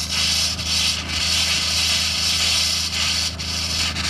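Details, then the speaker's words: 2021 Aspen Trail LE 1950BH RV during de-winterization: a steady hiss broken by irregular sputters about twice a second as trapped air spits from the faucet while the pump flushes antifreeze from the lines. Normal air purging. "oh there's some now we're starting to get some air out of the system so that's going to spurt and spit while the air is coming out"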